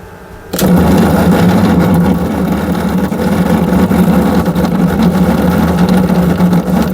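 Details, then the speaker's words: Samsung 7 kg top-loader washer, newly fitted replacement drain motor powered for test: steady low hum with water rushing and churning, no stalls or grinding; drain motor running normally. "Here dear, you can see here motor is okay, it's working."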